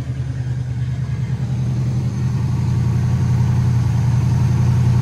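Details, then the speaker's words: 1985 Chevrolet Camaro Z28 V8 first start after sitting 13 years, new battery fitted; cranks and fires into a deep, steady burble with even beat and no knocks or misses, a healthy idle. "And we got cranking. Wonderful. I believe she runs. And I believe she runs good."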